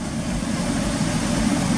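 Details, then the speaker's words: 2006 Jeep Liberty 3.7 L idling after the leaking water pump was replaced, job finished: steady, even low engine rumble with no knocks, squeals or misses; everything working as it should. "el trabajo ya está terminado todo está trabajando bien como debe de ser"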